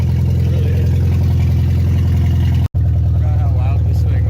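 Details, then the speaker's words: Volkswagen with CIS mechanical fuel injection, blown head gasket, old gas and milkshake oil, fired after long cranking once two blown fuses were found, first run in a year: loud, deep, steady engine with heavy low drone; running. "took a little convincing but now it's running so hopefully I don't kill it"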